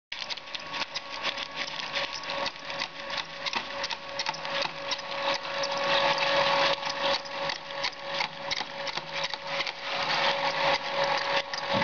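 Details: SteppIR EHU 6-40 antenna stepper motor running from 6 m to 40 m, nearly 12 metres of tape: steady mid-pitch hum under rough, uneven rapid clicks and rattles; abnormal motor noise.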